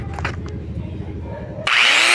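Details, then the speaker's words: Black & Decker G720 Type 4 angle grinder after the lower armature bearing was replaced; before repair it made a loud deep rough noise, smoked and sparked heavily. Motor spins up to a clean, smoothly rising whine with no grinding. Normal running after repair. "bem viu funcionou direitinho sem barulho é fora do normal né"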